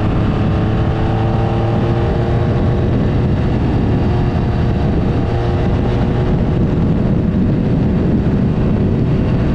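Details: 1975 Triumph Trident T160 triple on first proper ride after full rebuild, dry but gale-force windy: steady, even engine drone under heavy wind rush, no knocks or misses; ran beautifully, though it smokes, exhaust manifolds leak slightly and hydraulic clutch leaked.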